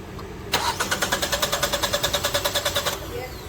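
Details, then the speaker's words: Engine cranked with both intake and exhaust camshaft position sensors unplugged: starter spins evenly at about three beats a second for two seconds, never catches; crank no-start, starts and runs once the sensors are plugged back in. "yeah it won't start so now if we plug him back in it will start and run"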